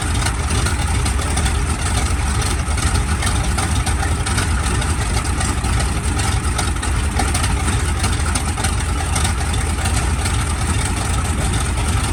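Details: SB2C Helldiver radial engine on its first test run after an engine replacement, October 3, 2024: a deep, steady drone holding even throughout with no misses or knocks; a healthy run.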